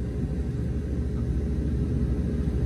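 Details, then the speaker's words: Goodman package unit with no heat or air, contactor jumped: condenser fan and compressor run and the blower motor ramps to higher speed, a steady even rush of air without rattle; AC works, fault was a bad contactor. "yep there it is lower motor is ramped up you can tell it's definitely on a higher speed"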